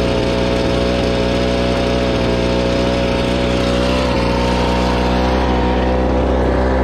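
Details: Gas blower with a 42cc engine and 510 CFM, last used about two months ago, after a choked cold start: a steady, even drone with no misses or surging. Normal running.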